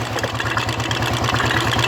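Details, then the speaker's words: Royal Enfield Electra 350 after tapping-noise repair restored oil flow to the top end: quick, even single-cylinder beat with no tapping, steady throughout; healthy idle. "तो फ्रेंड्स देखिए आप, ये सिर्फ आपको इंजन का आवाज़ सुनाई दे रहा है यहाँ पे, सिर्फ ओनली इंजन।"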